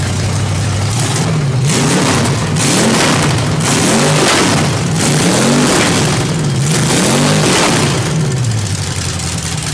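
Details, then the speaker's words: 350 small-block V8 with a Thumper cam on open headers, revved hard from a lumpy idle and back several times; crisp and even with no knocks, sounds healthy. "uh I don't care Motors sound great with open headers there's there's just no two ways about it you know I had to rev the out of it just so you guys could see it you could hear it"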